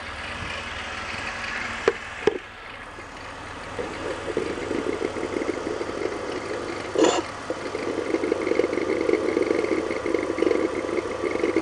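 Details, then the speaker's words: BMW E46 serpentine belt squeak: with the original lower tensioner pulley refitted, a steady, slightly rough mid-pitch squeak rides over a quiet idle unchanged; lower tensioner pulley bearing confirmed bad. "so that's the original lower tensioner pulley that we started with the one that I thought was making noise it's still bacon noise okay I was not wrong I can hear it"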